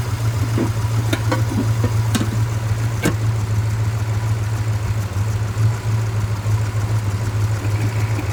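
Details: 1962 Dodge Custom 880, said to have a cracked block, running after carburetor prime: deep, even low hum, steady firing, no knocks, misses or rattles; engine runs really good and no longer smokes, owner doubts the block is cracked.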